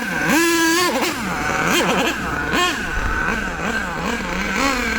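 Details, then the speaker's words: HPI Savage nitro RC monster truck engine, warmed up, high-speed needle turned in too far: screaming revs surge and sag, stumbling instead of pulling clean; lean hesitation from too little fuel, fixed by backing needle out a quarter turn. "Notice that sound. It goes too lean, not enough fuel."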